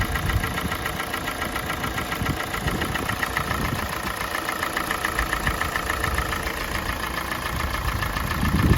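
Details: Kia Sportage 4G 2017, G4NA engine, 265,500 km, idle while warming, pipe already warm: uneven tapping knock a few times a second, absent at cold start and increasing with warm-up; owner thinks not piston slap, cause unknown.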